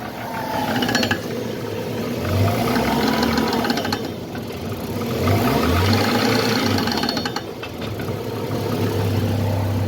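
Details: Car driving with rapid clicking and knocking that rises and falls with wheel speed, from worn CV joints on both the driver's side and the right side.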